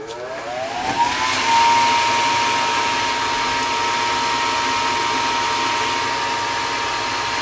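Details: Gas furnace above a carport after replacing the cracking hot surface igniter (new one reads 70 ohms): blower ramps smoothly to a steady whoosh and hum, no rattles or squeals; running healthy.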